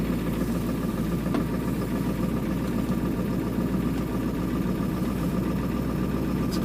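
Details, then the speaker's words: 2000 Ford Excursion 7.3 diesel, cold start with a booster battery and the glow plugs and intake heater manually switched on, bypassing the PCM: an uneven idle with stumbles and white smoke; at least one glow plug is suspected dead, and a knock suggests a possible injector issue. Cold misfire. "a Miss in it now it's blowing a little bit of white smoke out of the exhaust right smoke it's got at least one glow puck maybe not working"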